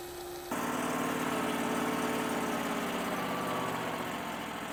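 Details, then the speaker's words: Powerease R740D small engine on mini skid steer/excavator, after adding fused electric fuel pump for low-fuel problem: smooth steady low idle, even putter, no stumbling or popping, where before it would pop and shut off; now more power, no bog. "so this has this thing has never idled that slow and that easy it would never idle it would just pop and shut off and uh I don't know why low fuel causes it not to idle but man it just purrs right now it idles so nice"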